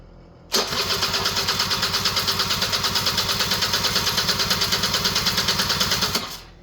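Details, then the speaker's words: Honda EZ90 Cub cranks at about three even pulses per second for five seconds with no firing; fuel petcock was not on run, so no fuel reached the engine. "You know what? I bet this is... Oh, it wasn't on run."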